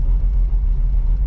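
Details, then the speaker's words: 1985 Oldsmobile Cutlass Supreme with a brand-new carburetor, stopped at a stop sign with no foot on the gas after a drive: a steady, even idle with no dips or surging, no longer shutting off. "Idling. It's not shutting off. That's what you want."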